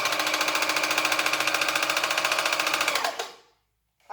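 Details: Singer Facilita Pro 4423 sewing machine, about eight months old and under warranty: harsh, loud rapid clatter while stitching, persisting despite new thread and needle, lubrication, and a technician's visit.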